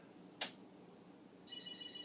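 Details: Commodore SuperPET SP9000, first power since the 1980s, mode-select switches not fitted: sharp click, short high warbling chirp at power-on; a small flash seen but no usable display, owner wonders if it boots in an odd hybrid mode.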